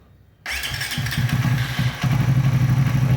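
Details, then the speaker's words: Motorcycle started during an ignition coil and AFR test, Yamaha Xmax 250 versus Suzuki V-Strom 250 coil, here V-Strom coil with boosted supply: quick catch, then firm even low putter settling to steady idle. Normal start. "Sekarang kita nyalakan. Oke, kita nyalakan motor."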